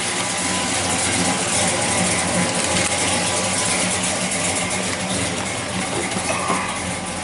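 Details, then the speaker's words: 1968 Chevelle with a carbureted LS 5.3 V8 and Turbo 350, running and revving after water pump and clutch fan replacement: even running under noticeable fan wind rush, no knocking or squealing. The fan clutch noise is judged tolerable; a healthy V8. "yeah not too bad I thought you'd hear you know what kinds of fan clutch wind noise but I'll live with that"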